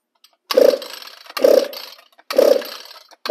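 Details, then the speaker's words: String trimmer on the bench, primed and on full choke, throttle depressed; four rope pulls, each a short hollow whistling rasp with no catch; choke butterfly on the air filter base not sealing, fluttering. "you hear the way that this thing is sounding when you pull the rope it kind of that is a telltale sign that that choke butterfly and this carburetor or on this air filter base is not sealing off it's actually fluttering making a whistling sound"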